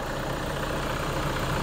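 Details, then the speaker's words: Toyota Innova D4D diesel at idle-up with weak aircon cooling: a steady, strong rush of air from the radiator cooling fan over a low, even diesel idle, spinning hard so radiator airflow carries away condenser heat; normal, healthy fan. "Yan, so idle up lang siya pero sobrang lakas na ang kanyang ikot. Yan, so yung init ng ating condenser mahihigop na ng radiator."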